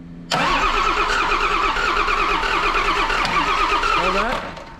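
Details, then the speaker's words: John Deere 6068T PowerTech diesel, stored four or five years: steady starter churning about four seconds with no firing; air in the fuel system suspected. "well try and fire it up again let's see if that goes away because that's maybe it's got air in the system"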